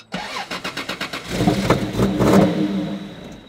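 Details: 1993 Toyota Supra with a full tank cranks rhythmically, catches, runs rough for about a second and a half, then stalls; electrical system misbehaving, poor grounding suspected.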